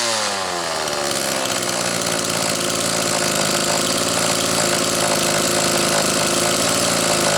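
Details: Homelite XL two-stroke chainsaw after the Zama C2S-H5A carburetor inlet needle spring fix: a steady, buzzy idle with a faint burble as it loads up a tiny bit on extended idling, but it keeps running evenly; acceptable idle, with the spring judged the earlier issue.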